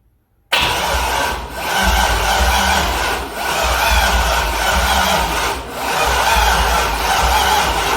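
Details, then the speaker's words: C6 Corvette with a junkyard engine on a Holley Terminator X, first start attempt: the starter churns in rising and falling pulses but the engine never fires. Owner suspects the battery; the injectors get no power. "So, you can see it didn't start. I think that we're having issues with battery right now."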